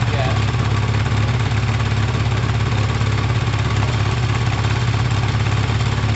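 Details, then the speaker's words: Kawasaki ZL600 gives a steady, fairly even idle with a deep throb; sounds healthy though the carburettors are not synchronised, smoke being exhaust wrap burning in. "the crabs aren't tuned they're not balanced actually they're not synced so if it sounds like that unsynced what's it gonna sound like synced"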